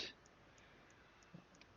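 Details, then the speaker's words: SteelSeries Siberia Elite Prism headset: faint evenly spaced clicks about three a second in mic recordings from the headset's LED lighting, gone once a profile turns the lights off. "when you're recording they start making a sound like click click click click click what you probably hear right now in the recording"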